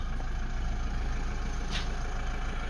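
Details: Toyota D4D diesel (Hilux/Fortuner) after timing belt replacement and timing-belt warning reset: even, steady low diesel clatter at idle with no knocks or misses; idling normally.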